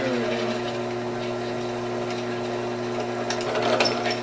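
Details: Drill cutting stainless steel to make a DIY 3D-printer hotend heater barrel and 0.5mm nozzle; steady motor hum with an even cutting chatter and no squeal, so the bit is cutting cleanly and normally.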